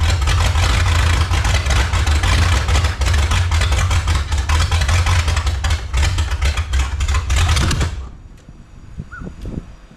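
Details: 1954 Chrysler 331 Hemi New Yorker, over 50 years in salvage yard, hot-wired: loud ragged uneven running about eight seconds, then dies; fires but won't stay running, owner suspects too much fuel pressure.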